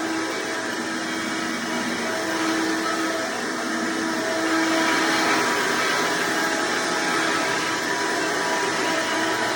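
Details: Hoover Decade Soft & Light Elite vacuum owned since May 2024, after greasing motor and brushroll bearings and fitting a 20-bladed fan impeller in place of the 7-bladed one: loud steady whir with airy rush and hum, no scraping; noise reduced, still somewhat loud, normal running.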